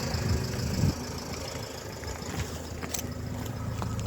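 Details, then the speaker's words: Renault Trafic 2 / Opel Vivaro, M9R780 2.0 diesel, after replacing shorted cylinder 2 piezo injector and re-priming the pump: quiet low even idle, no knock or vibration, exhaust sound back to normal. "mais là le bruit est vachement vachement fluide ça vibre plus comme avant tout est rentré dans la normal"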